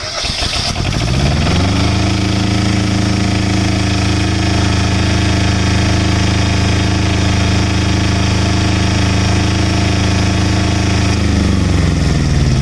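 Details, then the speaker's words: Kubota J106 diesel generator after replacing the overload-damaged AVR (no-voltage fault) with an online-bought Chinese unit: cranks, catches within a second or two, steady even diesel drone, no knocks or misses; now giving full voltage, normal start and run. "ये देखा दोस्तों आपने, AVR change करने के बाद बिल्कुल ज़बरदस्त हो गया है और पूरी वोल्टेज दे रहा है।"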